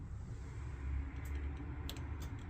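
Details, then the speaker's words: Pre-2012 caravan electric fire: a few sharp light clicks over low rumble as the thermostat dial turns on 500, 1000 and 2000 W settings, showing the thermostat switches the element properly. "and we should hear it clicking and then on a th000 Watts again we'll move our dial and we should hear that clicking and again that's just a good indicator to begin with that the fire is doing what it should be doing"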